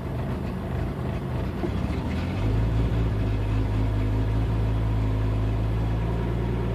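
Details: 1992 Jeep 4.0L after fuel pump replacement, fuel pressure constant 10 psi at idle, ballast output 10.5 V; MAP and air temp sensor swaps no change: low idle wavering then settling; intermittent rough idle, cause undetermined.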